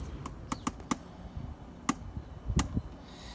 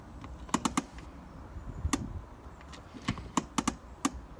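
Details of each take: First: BMW E90 3 Series handbrake during adjustment, previously about ten clicks: six sharp ratchet clicks as lever comes up, still too much travel; shoes tightened further toward target of four clicks. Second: BMW 3 Series E90 handbrake during adjustment, lever pulled up: crisp ratchet clicks, six clicks, later adjusted to four; handbrake engages normally.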